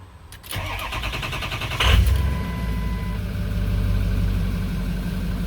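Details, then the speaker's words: Ford Excursion 6.0 Powerstroke diesel, engine-hot crank no start; with about 2 seconds of starting fluid it grinds for 1.5 seconds then catches hard to steady idle. Owner suspects a high-pressure leak; FICM later found failing. "And you can see it starts. So if you ever get stranded on a hot, well, I shouldn't say hot, but engine hot, no crank, no start. I'm sorry, it will crank, it just won't start. You can start it with starting fluid."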